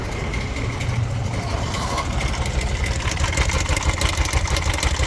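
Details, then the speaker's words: Bajaj auto BS6 single-plug, 2024 model, 43,464 km, idling: loose, busy metallic clatter about three ticks a second; timing chain rattle, chain found fully slack with dead adjuster/tensioner, clutch also worn. "Sound ನೋಡ್ಕೊಳ್ಳಿ ಏನಾಗಿದೆ. Timing chain, clutch ಎಲ್ಲ ಚಿಂದಿ ಆಗಿಬಿಟ್ಟಿದೆ."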